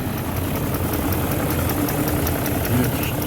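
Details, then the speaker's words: BMW E38 735i petrol, parked for many years by a fence, freshly started: a smooth, even low rumble with no ticking, knocking or misses. The idle is clean and sounds as it did when driven, with no exhaust smoke. "Kā rūca, tā rūca. Kā toreiz, kad braukāja, vēl tāpat arī skan."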